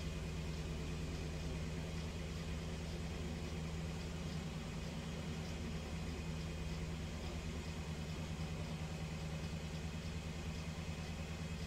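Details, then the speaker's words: 2008 BMW 318 with intermittent misfire and cylinder 1 misfire code, during diagnostic injector test: steady idle sags noticeably as each cylinder is cut in turn; test condemned the fuel injectors as faulty. "so now testing all the injectors you can hear the engine dipping all right it's firing the injectors now you would see the red start to increase soon and start to induce misfire"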